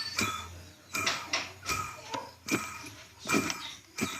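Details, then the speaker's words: Centrifuge motor rusted by water getting down into it: gritty scraping rasp with each hand turn of the motor, about once a second; a rusted, damaged bearing. "Olha aqui, dá para escutar o barulho. É um rolamento que está enferrujado."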